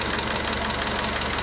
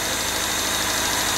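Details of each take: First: Newly rebuilt engine during break-in: fast, even light ticking of about six clicks a second over an otherwise smooth idle; loose valve lash, needs another valve adjustment, common with a new engine. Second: Newly rebuilt engine, first start during break-in after pre-lubrication, run at idle to warm up: a smooth, even idle with a steady hum and no knocks, ticks or misses. Normal idle; a valve adjustment is expected later.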